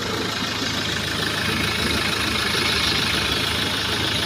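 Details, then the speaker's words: Mahindra XUV500 diesel after replacing fan belt and tensioner pulley: even idle with steady clatter and no squeal or chirp from the belt area; belt noise fixed. "यह हमारी गाड़ी start है [संगीत] ठीक है इसमें कोई आवाज नहीं है"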